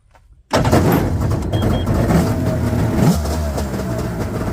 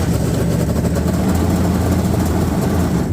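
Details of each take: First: 1998 Yamaha WaveRunner GP1200 two-stroke, first start after engine installation, following a no-power, no-start, no-display fault cleared by entering the default security code: revs in uneven bursts, sagging and stumbling as it climbs; carburetors need adjustment. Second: 1998 Yamaha GP1200 WaveRunner, 125 hours, just after engine installation: starts right up and settles into a steady, even two-stroke idle burble with no misses or knocks; owner suspects carb adjustment is needed because the high range seems to drop out. Normal idle.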